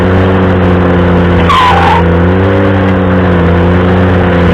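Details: Ventrac stump grinding: engine drones steadily under load while a high squeal wavers and rises briefly twice; squealing while working, cause unclear.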